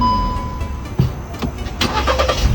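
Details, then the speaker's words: Car that wouldn't start because a leaking carbon canister purge solenoid made the mixture too rich; after the valve was freed and refitted, a click, brief crank, then it starts first try into a steady, even idle. "咱们前面看看，快看，发动机运转的特别的平稳，稳如老狗。问题已经彻底解决了，怎么样？"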